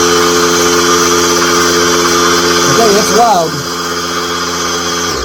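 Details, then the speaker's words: New Harbor Freight oilless air compressor, first run after unboxing: loud, steady high-pitched buzz with a constant pump drone until it cuts off; running normally, just loud and agitating. "it's pretty loud uh it's not quite as loud as the other one but it is loud and it's a higher pitched noise so it's more uh agitating"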